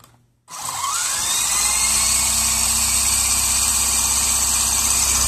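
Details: WLtoys V913 RC helicopter spinning up: high whir settling into steady whine with light, fairly regular tick about three per second and a wobbling main gear; owner unsure whether main shaft or main gear is at fault.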